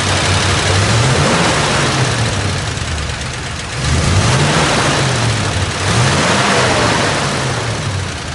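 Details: 1959 Dodge D100 Sweptside pickup with its original, unrestored motor. A low engine rumble rises and falls through three smooth throttle blips, pitch climbing cleanly each time, with no knocks or misses.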